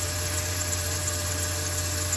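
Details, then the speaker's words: Jeep Cherokee idling: steady mid-pitched power steering pump whine after fluid ran low, level now topped up to just below max mark; wet power steering hose suggests a leak, owner fears pump damage. "No to narazie pompa wyje jak słyszycie także ona pewnie dostała trochę coś niestety to czego dźwięku być nie powinno który słyszycie"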